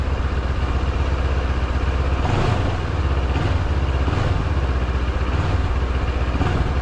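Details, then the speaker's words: Yamaha MT-07 (700MT) parallel twin revved in neutral after fixing TFT cowl vibration noise: deep even thump rising and falling on the throttle, no buzzing or rattle; cowl now feels tighter, fix appears to work. "don't you love the sound of these big twins they're very much like a V Twin I love the sound of this thing"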